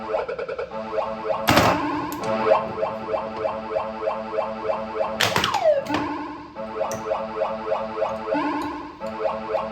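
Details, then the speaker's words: Bally pinball machine before teardown, playing a credit: chimes, jingling background music and solid thunks of flippers and targets come through cleanly; kickout dirty and not working, otherwise normal operation. "All right. So, you guys hear it? It works. Seems like everything's working on the playfield and everything."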